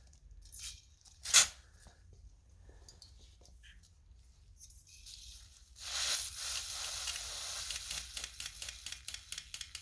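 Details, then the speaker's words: 1994 Vauxhall Astra GSi (C20XE red top) injector on a battery-pulsed bench cleaning kit: clicking with sharp hissing spray, steady then in quick bursts; the injector looks old but sprays clean. "start i think that's a pretty clean injector give that wipe down and i'm gonna do the other three"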